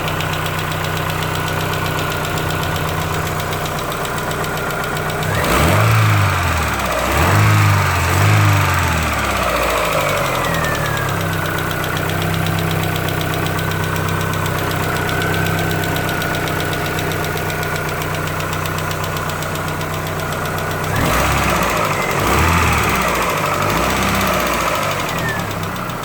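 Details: 2004 Chevrolet Aveo petrol engine idling with a steady rod knock, about four a second, louder on brief revs.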